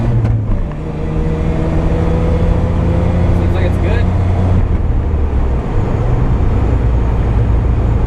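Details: Mazda RX-7 rotary with replaced trailing igniter, secondaries made mechanical, new fuel filter and stock muffler: loud steady low drone holding evenly at full throttle, no misfire or stumble; runs right.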